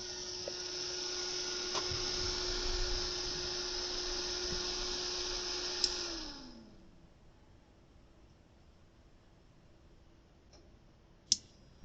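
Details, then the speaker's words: Heavy, high-quality ATX computer power supply: loud, steady fan whoosh with a constant hum that spins down, then restarts and spins back up; noisy high-airflow fan, to be swapped for a quieter one. "olha ventoinha porque ela tá fazendo barulho Olha gente a potência que essa fonte aqui ó serve até como ventilador"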